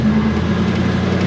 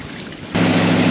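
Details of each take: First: 1972 Chevy Nova third-gen project built from cobbled-together spare parts, driving slowly: deep, steady rumble firing evenly with no knocks or misses; runs well. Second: 1972 Chevy Nova third-gen project assembled from spare parts, first start: catches abruptly and settles into a fast, steady drone; idle high because idle speed screw wouldn't lower it.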